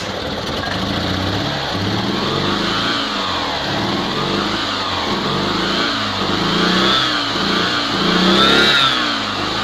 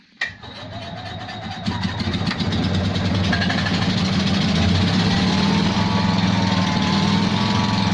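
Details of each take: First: Invacar three-wheeler on axle stands after 14 years in a field, with belt-drive variable pulleys and a replaced exhaust, running on bottle fuel: revs rise and fall smoothly and evenly as oil and muck burn off the exhaust; running much better. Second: Invacar three-wheeler revived after 14 years in a field, on axle stands: it catches and settles into a lumpy chuffing tickover at three or four beats a second. A small exhaust blow makes it sound like one cylinder.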